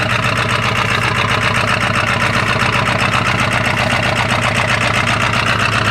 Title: 1997 Ford F-250 XL 7.3L PowerStroke turbo diesel rough cold start (bad injectors) 65 degrees